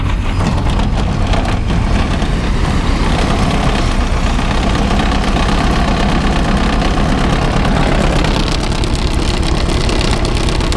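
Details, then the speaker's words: Semi truck diesel started cold after heavy snowfall: a heavy, low clatter that stumbles and lugs unevenly, having a hard time, then starts to run a little better; rough running on cold start. "That's cold, buddy. She's having a hard time now. She's starting to run a little bit better."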